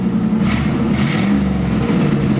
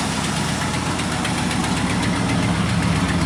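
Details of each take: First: 1986 Camaro IROC-Z V8 after tack-welding its broken exhaust pipe at the Y-pipe fork, revving at a standstill: loud and raspy with a hissy puffing; some exhaust leak remains but sounds much better. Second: 1986 Camaro IROC-Z on first start after the broken Y-pipe exhaust was welded: a steady, even low idle rumble with no puffing or ticking. The exhaust is now leak-free.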